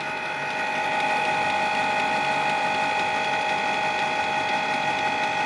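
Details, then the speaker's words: Canon Pixma G-series printer not printing, during cleaning process run from laptop: steady mechanical whirring with fast ratcheting clicks, even tone; normal printhead cleaning cycle. "now now this the processor started happening you can hear the noise"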